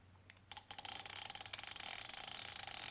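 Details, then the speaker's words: Vintage Zebco 33 spincast reel, over 50 years old, with the clicker button engaged. Rapid, even, high-pitched ticking at about a dozen clicks a second: the clicker ratchet works normally. "engages a lot quicker in there okay it still has a little click on it that little click that you're hearing this day entire verse"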